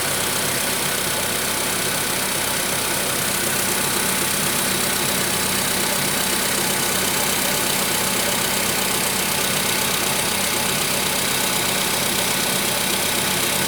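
A steady idle carries a fairly regular light tapping at about four per second; the knock's cause isn't evident.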